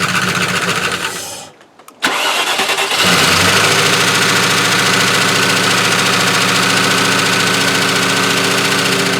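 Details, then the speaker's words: Range Rover restarted after previous day's no-start: cranks, catches and settles into a loud, busy clatter at idle with a rapid rattle over it; owner suspects something on the fan catching. "In the meantime, I'll have a look. It sounds like something on the fan's catching."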